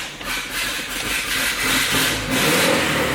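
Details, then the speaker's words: 1000hp GSX with no wideband fitted after injector scaling change in ECU tune: cranks, stumbles and catches reluctantly, then rough uneven revving; running so rich it barely started, throttle seemed to hang. "See, and it's almost so rich that it it didn't want to start."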